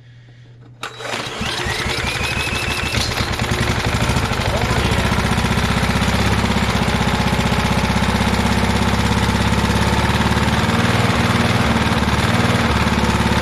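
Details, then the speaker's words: Inherited vintage heirloom walk-behind lawn mower: catches after a second of cranking then settles into a steady, even small-engine run with no misses; running healthy. "awesome she runs I knew she would"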